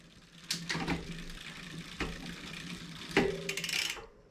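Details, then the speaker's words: 2020 Specialized Fuse 27.5+ with a Shimano Deore Shadow Plus 10-speed rear derailleur, chain spinning: a rough rasp and clacks as the chain rubs the derailleur after the limit screw was overtightened; the screw is then backed off. "Definitely doesn't sound the best, so we're going to back it off by turning it clockwise."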